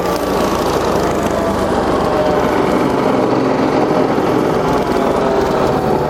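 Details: Entry-level garden shredder, about 20 months old, restarted after months of storage, cutting dry branches: loud steady motor roar with busy cutter chatter and no labouring. Running normally.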